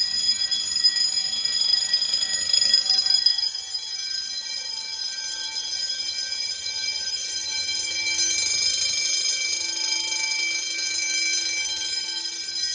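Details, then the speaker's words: Fire-Lite MS-9200UD system: bells ring continuously with a bright, rapid metallic clatter and no pauses. Relay clicking is heard from the Simplex control module, before the coding is switched to code three. "that's going to leave ringing in my ears no pun intended as you can hear though you can hear the relay clicking coming from the Simplex smart syn control module now hearing the bells of continuous is cool and all"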